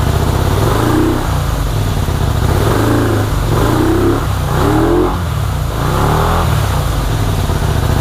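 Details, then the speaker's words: 1984 Honda VT250 V-twin, first start after sitting, fuel dribbled into the carburetor: runs lumpy, revs surging and sagging instead of holding steady. Choke suspected stuck on, carbs to be checked; rough running. "all right well the bike runs not very well um albeit but it does run i believe the choke is stuck in the um on position or at least that's the way it feels"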